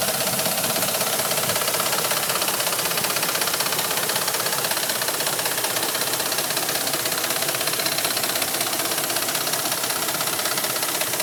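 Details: Gasoline Dodge Ram 1500 V8 idling with loud, sharp, clattery ticking that sounds like a diesel truck; cause unknown.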